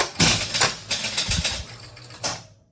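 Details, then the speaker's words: Gottlieb King of Diamonds electromechanical pinball, whose score motor previously ran continuously, after repair, resetting from ones on the score reels: a quick relay and motor clatter of about two seconds, then a clean clunk stop mid-position, a normal reset. "And now when I look at the score motor, that's perfect. It stopped right in the middle. It wasn't on the edge."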